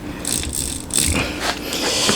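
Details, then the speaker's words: Honda Monkey engine built into 124.4cc four-cylinder, oil pump drive chain being turned: light uneven metallic clicking and rattling at the chain's joint link; chain found broken and stretched, worn drive chain. "Có tiếng kêu lạch cạch ở phần liên kết chung của dây chuyền."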